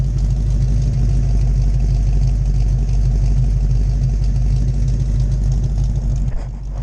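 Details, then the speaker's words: 1977 Pontiac Trans Am old V8 idling after a drive: deep, lumpy rumble with a steady loping beat of about three pulses a second and no knocks or ticks; healthy idle. "Nothing sounds like an old V8."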